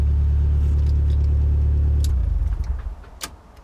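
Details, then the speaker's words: Volvo S40 with Holset HX40 turbo, rewired to battery before the Speeduino ECU fit: not in gear, catches and settles into a steady, even low rumble with no knocks or misses, then dies away; healthy start. "make sure it's not in gear and we have lights and it fires up fantastic"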